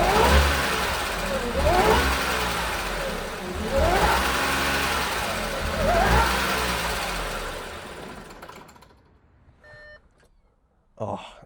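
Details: 2014 Audi S5 supercharged V6: engine surges in rough lumpy bursts about every two seconds, sounding low on compression, then stalls near eight seconds.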